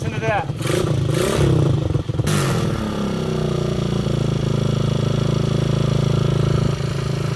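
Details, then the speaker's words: Honda XL125 Scrambler kick-started with the air cleaner removed: kicks and a few blips, then a steady, even single-cylinder idle with no misses; runs properly. "sounds like a running bike"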